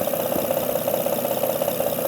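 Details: 2005–2010 Honda Odyssey 3.5L, top cover off, no check engine light: loud, fast, even ticking knock over a rough, shaking idle, with hesitation and lack of power; faulty timing belt tensioner.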